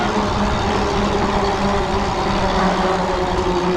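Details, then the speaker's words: Monday Motorbikes Anza 750S single-speed e-bike coasting with motor cut and brake lightly held: an even, low-pitched whirring drone from the pedaling drivetrain, a little loud; the rider suspects something is slightly out of alignment. "so that's that's just the the pedaling drive train making that noise maybe something's slightly out of alignment I don't know"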